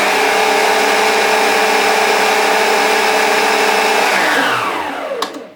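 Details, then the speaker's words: Old Kenwood Chef KM210 mixer, reported as having speed control not working and always running flat out, though the actual fault differed. After repair, the motor holds a smooth, steady whine at an even pitch for several seconds, then winds down cleanly. It is fixed and healthy. "She's fixed. Not bad at all."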